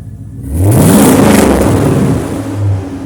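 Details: 1999 Silverado at first start after a new muffler and tailpipe were welded in: fires and revs smoothly, then settles to an even low idle with a steady exhaust note, no rattles or leaks.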